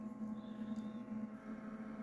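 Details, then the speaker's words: Portable 60 L compression cooler-freezer (rated to -20°C) just switched on via 220 V charger with display reading 17, still warm; fan on one side fairly loud, steady low hum with faint whir, no rattles; normal fan running, expected to quiet once cold. "pe entendre le ventilo de ce côté-là qui fait pas mal de bruit"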